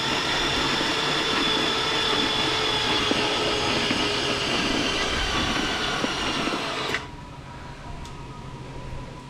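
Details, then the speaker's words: LS swap engine on budget drop-in harness, no oil in engine, battery not fully charged, water coming out: loud labored starter whir turning slowly about seven seconds then stops; battery too weak for proper crank. "Yeah. So, you can hear that battery is pretty pretty cooked, but uh we're getting some water out of there."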